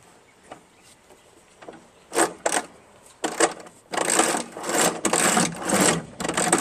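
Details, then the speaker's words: Craftsman 5HP 24" dual-stage snowblower whose wheels wouldn't move: the heavily rusted drive chain is worked by hand, giving irregular bursts of dry metallic clatter from the rusted chain with a stiff kinked link. "So the main problems we see here is a chain. See? Look at that. It's so rusted."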